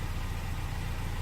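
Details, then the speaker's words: 1984 Mercedes-Benz W123 230E automatic, 79,796 miles, started stone cold: a quick start into a low, smooth, even idle with no knocks or ticks. Healthy engine and exhaust. "Sounds good, engine sounds good, exhaust nice."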